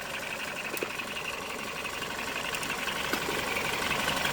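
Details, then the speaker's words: Ex-police BMW G31 5 Series Touring, high mileage, first start after coolant top-up: idling with light quick ticking fading in and out, intermittent tap from underneath the engine; owner doesn't think it's rod knock, cause unknown. "I can hear some tapping noise from somewhere underneath the engine, but it's intermittent. I don't think it's rod knot."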